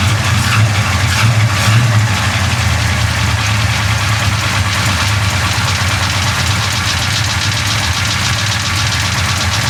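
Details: Big-block Chevy 427 V8 idling after a valve adjustment: loud lope with a light metallic valvetrain chatter that comes and goes, much improved. The side it comes from is unclear and the cause not confirmed.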